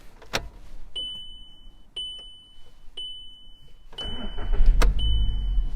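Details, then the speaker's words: VW MK5 Golf, sat around with its MOT expired since 2016, started after its flat battery was charged over a weekend: warning chimes, a brief crank, then it fires at once and holds a steady idle, a clean normal start. "As you can tell, it sounds great, comes on straight away, so there's no issues there."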